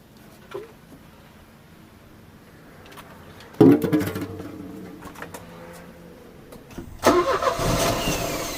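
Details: Euro-spec Mercedes 190E 2.0, 5-speed manual, fuel just added: quiet spells broken by two short cranking bursts that catch briefly and fade; it won't keep running, and gunky contaminated fuel was found in the fuel lines.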